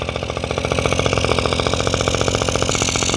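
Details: Honda Dio two-stroke scooter, would not start because the oil pump was leaking internally and oil-fouling the plug; after draining and cleaning the crankcase and fitting a temporary external direct-feed oil supply, it starts quickly and settles to a steady, even crackling idle with no misses or knocks.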